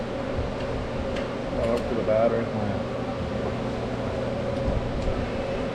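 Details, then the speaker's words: Rebuilt starter from 1972 Chevy K20 4x4 that sat 15 years, on the bench after reassembly correcting shift fork placed wrong: steady even whir at constant pitch, no grinding or stutter; starter spins freely, healthy. "it might work now turns out we built the starter rebuilt the starter right probably the third time"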